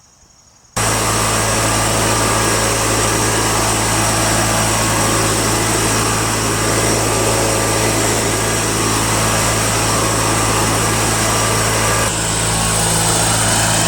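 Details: Toro 616Z zero-turn mower twin engine idling after the loose spark plug tip was tightened, which had made it sometimes run on one cylinder; steady, even beat with no misses or stumbles, running cleanly.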